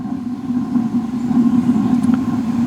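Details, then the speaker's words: Suburban RV water heater on propane after sitting two years: steady, even low roar with no popping, sputtering or surging once air cleared the line; blue flame, burner running cleanly. "there'll be a little delay it should try to ignite let's see what happens still may be some air in that line there we go we have blue flammage"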